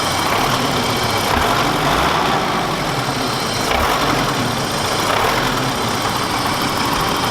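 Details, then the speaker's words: 1991 BMW E30 Touring, hot after half-hour drive, hood open after valve ticking fix: steady even idle with no distinct tick over the hum; valvetrain quiet, normal idle. "sounds a lot better I don't know if it picks up on camera sort of hard to pick that stuff up but it sounds a lot better so I'm happy with it"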